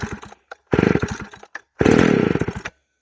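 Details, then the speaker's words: McCulloch Pro Mac 610 chainsaw cold start on choke, foot in handle: three short bursts of rapid popping as it catches and dies each time, as expected; more than about three choked pulls would suggest a problem. Choke then pushed in to start. "okay that's perfect usually three pulls with the choke it's more than that something's probably wrong"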